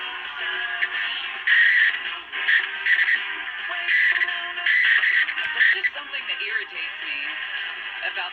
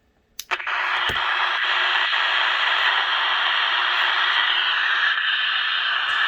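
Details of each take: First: 1965 Westinghouse H-908PN9GP nine-transistor radio, whose AM squealed before repair, with a new 0.47 µF capacitor in place of the leaky 0.5 µF one: music comes through clean and steady with the muffled AM tone and no crackle or dropouts. AM reception is fixed. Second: Westinghouse H-908PN9GP AM/FM radio on AM: a couple of switch clicks, then a loud, steady hissing squeal while FM is fine; caused by a leaky 0.5 µF electrolytic capacitor, replaced with 0.47 µF.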